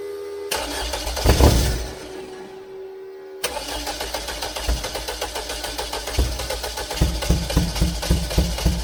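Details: VW Beetle cranks in steady pulses, roughly four a second, but never fires after the bad injector was replaced; the battery is on a charger. The fuel pump is found to have no power.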